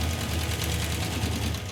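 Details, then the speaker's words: Hemi V8 in a Gremlin, running hot: fast loud even ticking over lumpy idle, getting louder, listened at the valve covers; suspected collapsed hydraulic roller lifter; valve train ticking. "ell the number one problem here is the valve train noise it's really loud and I think it's a hydraulic roller lifter that's collapsed"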